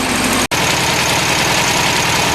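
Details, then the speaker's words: 1973 VW Beetle with new carburetor, plugs, wires, 009 distributor, possibly running lean, warming up at idle: steady idle with light quick ticking over the beat, worse at first start; valve tick, owner suspects a valve on that side needs adjustment. "know if you can hear that a little bit of a ticket shot it was a lot worse for the loop fire it up pull but I'm thinking there may be involved a death that I need to do on this side"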